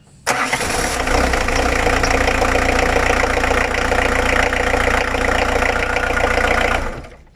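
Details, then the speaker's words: Old 1.9 diesel that previously wouldn't start: cranks briefly, catches at once and settles into even clatter; a bad contact in the glow plug relay box was suspected as the cause. "Voilà, donc écoutez, ça fonctionne bien."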